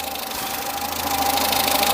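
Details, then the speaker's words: Peugeot 207 saved from scrap, fully warmed up after oil leak repair and coolant top-up, waiting for fans: light quick ticking over an even idle with steady whine; slightly noisy tappets, owner plans to adjust though not too bad. "I'm going to do the tap it anyway cuz you can just hear them you'll hear them more on the uh on the video I don't think they're endly bad but just sounds a little bit nicer if they're not tacky tacky tacky tacky tack tack tacky"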